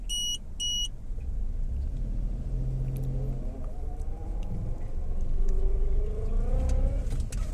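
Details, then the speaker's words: Maruti Suzuki Alto 800 pulling away after axle repair: engine rises evenly over road hum, no clunks or rattles. Before, heavy vibration and rattle came into the body in first and reverse; suspension had checked fine, and the axle was the hidden fault. "अभ गाड़ी चला के देखते हैं आवाज आ रहा है कि नहीं आ रहा है अभी नहीं आ रहा वो पहले एकदम एकदम ज्यादा वाइब्रेशन आता था अंदर बॉडी में अभी फील नहीं हो रहा"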